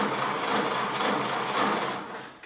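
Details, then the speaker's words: 1929 Ford Model A being rebuilt, newly installed starter run by push button off the battery: fast, even whirring chatter for about two seconds before winding down; starter cranks normally. "Oh yeah. Okay. So now we've got some cranking going on."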